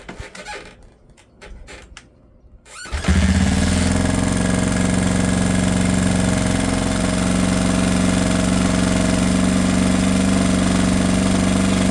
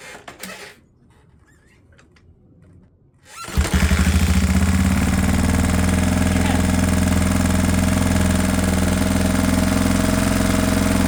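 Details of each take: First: Rebuilt 1979 Honda XR500 single-cylinder four-stroke, first run in about 10 years, after idle adjustment; the owner suspects it runs lean because the air filter canister is missing. Smooth, even, steady warm idle thump with no knocks or ticks. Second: 1979 Honda XR500 four-stroke single, first start after rebuild and ten years stored: catches with a pop, then a fast steady thumping idle held too high, backfiring, header pipe smoking as oil burns off, sounding a little lean.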